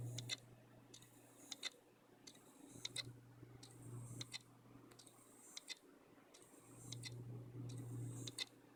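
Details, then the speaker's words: Seagate ST33000651AS 3 TB hard drive after a power failure: low steady spin hum with sharp clicks every second or so at startup; mechanical or PCB fault suspected, unconfirmed. "So that's the sound my drive makes when starting up. I'm not sure whether it's a mechanical problem or a PCB board problem."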